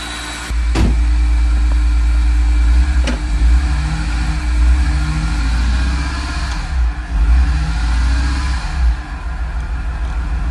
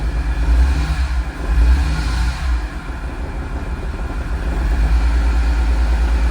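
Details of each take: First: Flood-damaged 2006 BMW E46 M3 straight-six at its first start after an oil pan and frozen starter replacement, with no cooling system hooked up: low, uneven, dipping idle running rough from an audible vacuum leak. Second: 2006 E46 M3 after flood submersion, new oil pan and starter, first start with MAF plugged in and vacuum leaks plugged: deep steady idle, slightly uneven beat from mild misfire, shaking; no rod knock, bearing, chain or top-end noise.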